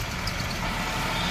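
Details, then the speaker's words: Maruti Eeco idling: silent with the clutch released, but pressing the clutch pedal brings a faint whirring rattle, a worn clutch release bearing; clutch and pressure plates to be checked for replacement. "ये देखो छोड़ो कलक बापो ये देखो इस तरीके का इटेड साउंड आ रहा है इसका मतलब है इसका कलच बेरिंग गया"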